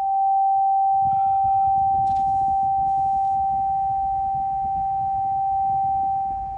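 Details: Haval H6 HEV cabin while driving, windows closed: a sudden deafening, steady single-tone whine over faint rumble. It continues even with the vehicle off, is not the radio, shows no warning lights and gets louder with the turn signal; source not traced.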